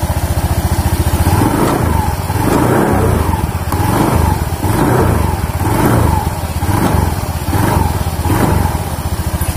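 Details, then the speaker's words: Honda Beat scooter, belt drive rotating at idle with the shaft still: repeated throttle blips about once a second, each with a faint crackle and slight wobble at the pulley; bearing ruled out, clutch pulley suspected. "Pada saat digas ada bunyi kretek-kretek sedikit dan di sini agak goyang."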